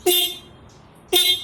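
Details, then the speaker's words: Ducati 796 horn, ignition on: short blasts start bright then drop to a dull, weak buzz; loud when removed from the bike, dulls when touching or tightening the mounting bracket, works when loosened, suggesting a mounting/bracket-related fault. "When I tighten it, it's dull again or does not even work."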